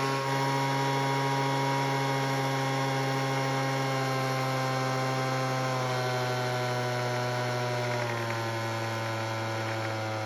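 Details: Weed Eater leaf blower after its carb was tuned, mainly by turning the L screw out to add idle fuel: a steady, even two-stroke drone at constant pitch with slight dips; it now starts and runs.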